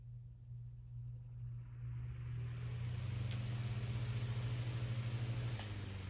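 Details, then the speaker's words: Fan with misaligned bearings that starts poorly and less smoothly than before: low hum builds on spin-up with a rough throb about three times a second, then cuts off sharply; stops fast rather than coasting. "This fan, the bearings on it aren't very aligned. So whenever you start it up, it doesn't start up too well. Or as smooth as it did before."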